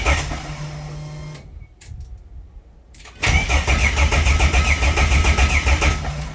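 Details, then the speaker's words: Toyota Coaster after engine swap, first start with new fuel system and harness: cranks, catches after a pause and settles into a steady, even low idle; starts and runs normally, though the transmission oil cooler leaks. "Well, it runs. We have a transmission oil cooler leak, but hey, it's alive."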